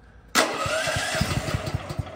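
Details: Champion dual-fuel generator started on propane with choke and battery on, gasoline off: short crank, catches at once, settles into even, steady run; starts cleanly on propane.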